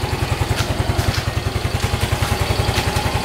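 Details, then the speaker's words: Yamaha Mio M3 (Mio Z) scooter at 17,600 km, just refilled with fresh Shell AX7 Matic 10W-40, healthy despite excessive oil consumption (~0.15 ml/km over 2,000 km): easy start, steady even idle pulse, no rattle, misfire or smoke. "Starter gampang, bunyinya halus, ya, dan nggak ngebul. Tuh, dengar bunyinya, aman kan? Aman ya bunyinya ya."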